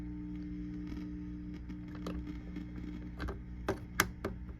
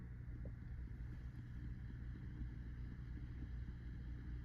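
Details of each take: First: 1965 Fender Deluxe (non-reverb) tube amp, channel one: low hum with irregular sharp crackles and pops, tubes swapped so not tube; suspected dirty pot; intermittent crackle from faulty pot. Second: 1965 Fender Deluxe amp (non-reverb), after clipping a 10 µF capacitor into the tremolo circuit to remove ticking: only a low, steady hum with no rhythmic ticking; tremolo runs quiet and clean.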